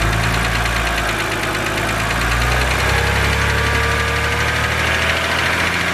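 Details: BMW 130i with N52 engine at idle: fast, light top-end ticking about four per second, the well-known N52 hydraulic lifter tick, said to be harmless but annoying.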